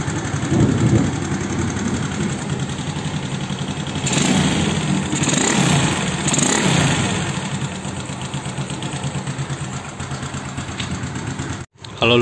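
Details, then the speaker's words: Honda Beat carburetor scooter just started after replacing worn valve rocker arms and pins: idles with a couple of light blips, top end quiet with no loud valve tapping; earlier loud head noise is gone. "suara motor ini udah adem lagi ya lihatnya udah nggak ada suara Aduh suara berisik lagi kayak sebelumnya itu kalau nyala tuh berisik banget"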